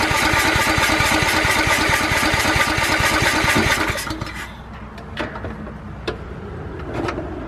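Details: Riding lawnmower not run in years, carburettor cleaned, fresh gas, used battery charged overnight, first crank: rough pulsing firing about three beats a second for four seconds, then cuts out; engine fires briefly then stalls.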